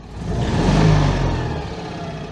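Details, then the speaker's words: Citroën 2CV air-cooled twin, hastily assembled engine about three years old, after a roughly 440-mile road trip: revs swell and drop with a coarse, uneven note; not healthy sounding, worn engine, cause not pinned down. "yeah that engine is um not sounding spectacularly healthy but it's all credited to two cvs but it is still going"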